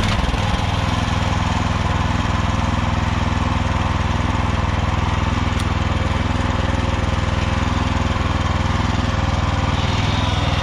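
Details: Walk-behind tractor (motoblock) single-cylinder started in sub-zero temperature, running with a steady, even low thrum at constant pace, no misses or knocks; runs smoothly.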